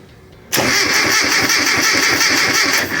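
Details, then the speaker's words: Classic Mini, crank test with spark tester on distributor: starter spins the engine at an even fast churn for nearly three seconds without firing; no-start with zero spark confirmed, owner suspects the dashboard voltage stabilizer. "That is definitely confirming zero spark. That is a bugger."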